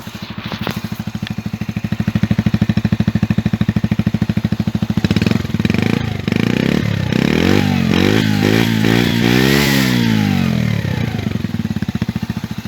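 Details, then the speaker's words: Mash Fifty moped after derestriction (green wire unplugged and taped): the small single idles with an even putter, then revs up and down cleanly with no clatter or misfire. Normal running. "Appuie sur l'embrayage. Au quart de tour."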